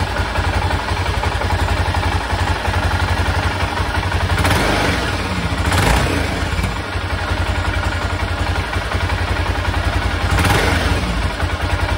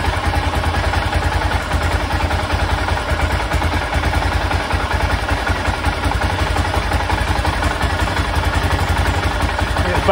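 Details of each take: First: 1996 BMW F650 Funduro single after carburettor rebuild: steady thump then clean pick-up in short throttle blips without stumbling or cutting out, where before it cut out when given gas at higher revs. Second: 1996 BMW F650 Funduro single after carburettor rebuild, warming up: slow, fairly even thump with light clatter; tick-over set a little low, usually about 1,500 rpm.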